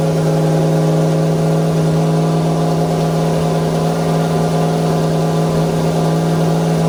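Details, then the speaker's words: Foxbody Mustang with Holley EFI and ceramic-coated headers, first start after TPS autoset: engine idles unusually high and never settles down. Steady high idle. "okay well who it runs that's for sure it sounds way different it's high only into the [ __ ] roof"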